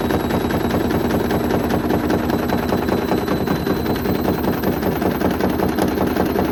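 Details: Hoover Link HL1682D3 washing machine with wrecked body and twisted door seal, on spin: hard rapid clattering and banging two to three knocks a second, battered cabinet shaking loose around the drum; extremely loud rattling.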